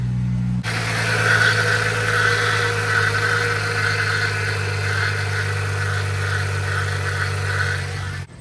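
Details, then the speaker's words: Car after repair work: steady engine drone with a thin high even whirring tone on top; source of the annoying noise in the engine bay unknown. "I don't know what that sound is. It's so annoying."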